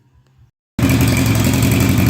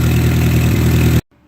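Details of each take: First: 1958 Oliver 550 gas tractor after valve adjustment and distributor check, on a remote fuel can: uneven lumpy running; spraying WD-40 at the intake port smooths it, revealing a large vacuum leak where the manifold meets the head. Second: 1958 Oliver 550 gasoline tractor after ignition work and vacuum leak fix, charging light out; steady, even low idle with smooth regular beat, no hunting or misses, settling without carb adjustment; normal idle.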